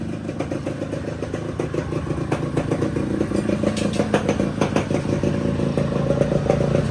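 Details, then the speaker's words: Yamaha RXZ 5-speed two-stroke under restoration, first start after engine setup, new clutch and throttle cables, Yamalube gear oil; catches and runs with crisp rapid popping that climbs cleanly on blips, no knocks or rattles: normal running. "ನೋಡ್ರಪ್ಪ, finally ಸ್ಮೋಕಿನ start ಮಾಡ್ತಾ ಇದೀವಿ."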